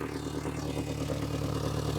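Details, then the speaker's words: Mitsubishi Galant idling after cold start: rough, puffing exhaust note with light clanking from an exhaust leak at the catalytic converter; squeaky belt also present, squeak and clanking fade once warm. "the squeaking goes away after a while once the car idles to proper temperature that clanking actually goes away as well but you can hear the exhaust leak"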